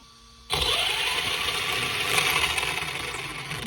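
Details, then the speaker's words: ARRMA Senton 2WD brushless motor on the bench after swapping ESC motor wires to fix reversed throttle direction; high, even whir spins up sharply and holds at full throttle, no grinding or stutter; normal brushless motor run. "Yep, there we go. Looks like that worked. We got full throttle going forward, and reverse is exactly where we want it to."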